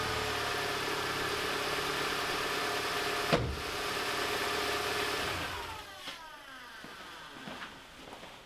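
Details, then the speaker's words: BMW MINI R50/R52 Cooper idling on first start after engine removal and refit; smooth, even idle with a light steering whine still present, so taking the power steering motor apart apparently didn't fix it; engine otherwise sounds fine. "So we do seem to have a whine there with the steering still. So I don't think taking the power steering motor apart actually solved that. But she sounds alright."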